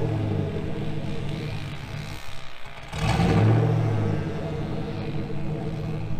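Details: 2000 GMC Sierra 5.3 V8, Texas Speed Stage 3 cam (216/220, 112 LSA) on factory tune, fully warm beyond about 175-180°F; lumpy idle, blip rises then revs sag back instead of holding.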